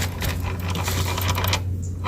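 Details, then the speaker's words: Honda Supra X 125 motorcycle with a clutch complaint, gearbox bearing turned by hand: uneven gritty crunching with irregular clicks over a low hum, distinct from normal gear-ratio noise. Rough transmission bearing. "Nah ini kan suara rasio ya Nah suara kelar beda nih bos"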